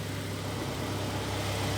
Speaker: масло Чёрное работает ровно никаких посторонних звуков стуков ничего нет